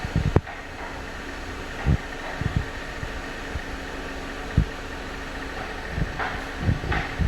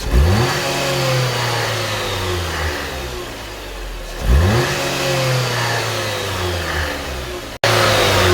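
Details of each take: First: Jeep Compass after timing chain replacement to fix an engine rattle under revving: steady low, even idle hum with no knock or rattle, just a few clicks around the bay; normal idle after repair. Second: Jeep Compass petrol engine blipped up and back down: a loose metallic rattle, diagnosed as the timing chain before its replacement.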